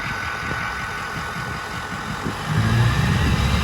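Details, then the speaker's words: 6.0 Powerstroke King Ranch with new KC Stage 2 10-blade VGT turbo, idling through vane relearn: steady idle with faint high whistle as vanes close, deeper fuller tone swells in as they open; healthy turbo. "so what you guys are going to hear when it's going through the relearn process is you'll hear the veins close they hear that high-pitched whistle and then you'll slowly hear them start to open up and you'll get that deep tone"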